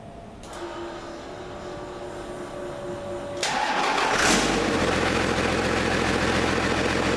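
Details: Cummins diesel in a 1942 Chevy truck with new makeshift wiring and no radiator connected: the starter whirs a few seconds, then it fires and settles into an even idle with a clean blip; normal running.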